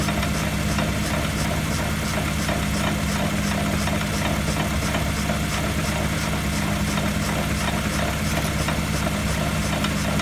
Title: ハブベアリング異音 サウンドスコープ診断